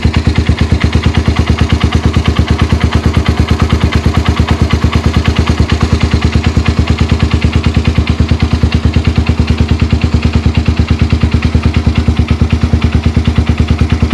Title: Knocking sound in Suzuki FXR 150